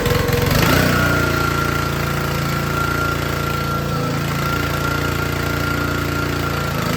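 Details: Troy-Bilt log splitter's small Honda engine running the hydraulic pump under load during a leak check; smooth, even, fast beat holding steady with no misses, knocks or surging; normal running under load.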